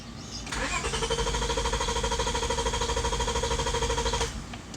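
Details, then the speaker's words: 2000 Honda Accord V6 with a misfire (plugs already changed), cranked with the fuel pump fuse pulled; steady, even cranking whir with no lopsided beats, showing no compression loss on any cylinder; misfire codes on cylinders 1, 3, 4, 5 and 6. "so it sounds good I'm not hearing a loss of compression on one cylinder or something like that"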